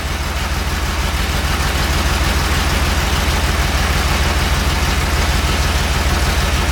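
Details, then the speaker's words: 1969 Porsche 911 T with recently rebuilt carbs, new plugs, wires, cap and rotor, misfired and lost power while driving; lumpy idle stumbling about three times a second; owner first feared burnt valve; misfire. "i don't know if you can hear it it's definitely you can see it in the engine it's not happy"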